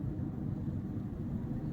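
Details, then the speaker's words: Ford F-150 driving after suspension work, customer complained of noise, earlier hum heard around 40 mph; now only steady even tire roar, no growl or hum rising with speed; noise likely was wheel bearings. "ya no le escucho el rumbido porque sí le llegué a escuchar un rumbido ya cuando iba más baja velocidad ya no se escucha. Así que sí, muy probablemente eran valeros."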